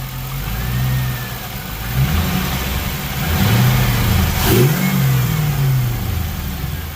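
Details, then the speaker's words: 2002 Pontiac Trans Am WS6 V8 with Flowmaster exhaust, after an injector flush and fuel pump change following five years sitting: a deep, throaty rise and fall through throttle blips with no misses or knocks; normal revving. "right sounds good that flow master doesn't sound too bad like it to be a little bit louder but you know it's not bad"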